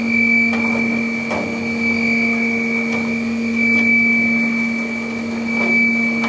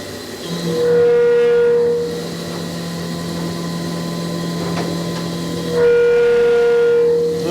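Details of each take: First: Flex CNC mill chip auger carrying away drilling chips after Tungaloy DrillMeister drilling 2" UNC holes in plate steel: steady hum, clear high tone, soft periodic chip clatter; running normally. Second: Flex CNC mill, 3/4 in four-flute carbide end mill with through-tool coolant milling 2" UNC holes in plate steel: loud ringing squeal bursts over cutting hum at corner transition moves; chatter.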